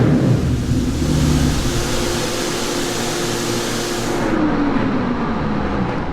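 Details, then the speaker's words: 2019 Yamaha Raptor 700 SE single with built top end, Dasa exhaust and Vortex ECU, warm on the dyno after idle mixture tuning: note sweeps smoothly down from peak power and levels out evenly, no pops, backfires or fireballs; running great. "sounds like it's like coming down from Peak power really nice and like leveling out nice that I mean it's noan pops or anything like that no it doesn't pop at all no no Fireballs n it's running really great"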